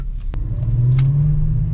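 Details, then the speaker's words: 2001 US-spec VW Jetta VR6 wagon, after long sitting, brief parking-lot drive: smooth, deep rumble rising evenly as the car pulls away, no knocks or misses; normal engine running. "I mean she feels healthy. She feels healthy, at least for a little parking lot rip. It feels good."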